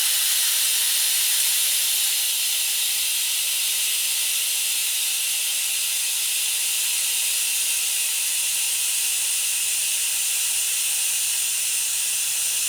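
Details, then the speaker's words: Audi C7 A6/S6/A7/S7/RS7 air suspension with TGK Motorsport dumpbox installed, programmed to vent only while the button is held: a strong, steady high hiss for over ten seconds as air is dumped; the suspension is venting and lowering normally. "when you hear that next noise, that means the tank is starting to empty."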